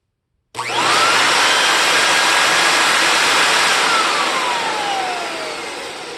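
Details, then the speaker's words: Compact TriStar C8 two-speed vacuum with replacement Ametek motor, after rebuild with new bearing and fresh grease, first run: spins up to a clean steady whine and winds down smoothly, no rattle or grind; commutator still dirty, needs polishing. "it's pretty smooth still need to polish that commutator though so let's just run it for a minute"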